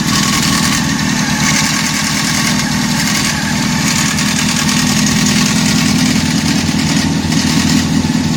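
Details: Honda CBR 600 F4 four-cylinder idle with an uneven mechanical rattle over the exhaust note; owner suspects timing chain noise, not confirmed.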